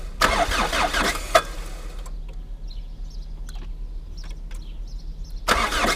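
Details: Old Chrysler Voyager diesel, cold start at -17°C (feels like -27°C), glow plugs suspected faulty: strained cranking bursts, a long pause, then more laboured cranking as it struggles to fire; hard cold start.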